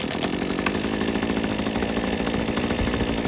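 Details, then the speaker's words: Titan TTL688HDC petrol hedge trimmer, rusty unit, after cleaning and refitting sponge air filter and priming: small two-stroke buzzes at steady, even speed with no misses, blades running, warming up; engine running fine after repair. "And as you can see, it's got it running. It's going to leave it running for a bit, let it warm up. And show you here. So the blades are running fine."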